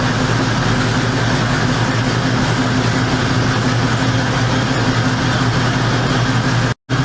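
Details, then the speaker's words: 1973 Ford Mustang Mach 1, 351 Cleveland V8 at idle after sitting since fall: loud steady rumble with raspy hissing puff from an exhaust manifold gasket blown at the corner; manifold bolt heads rusted. "we seen that the manifold gasket just actually blowed uh right at the corner"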